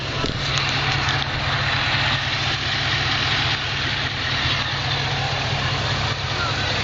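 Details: 2007 Chevrolet Monte Carlo SS V8 idling in park: a loud airy whir and hiss over the low engine rumble; the noise occurs only in N and P, and its cause is unknown to the owner.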